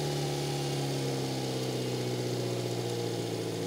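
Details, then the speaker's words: 1996 Subaru Sambar KS4 high roof: fast, steady idle with constant hum and no dips, climbing higher as the engine warms; idle too high, to be adjusted down to about 800 rpm after timing check. "so our idle is really high right now and it's getting progressively higher as the engine warms up"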